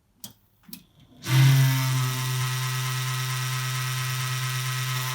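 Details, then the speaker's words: Desktop PC power supply fan switched on: loud steady low hum with airy hiss, owner reports rattling and groaning; dry, dusty sleeve bearing, before cleaning and lubrication. "так звучит вентилятор. Сейчас я покажу вам быстрый способ всё это исправить."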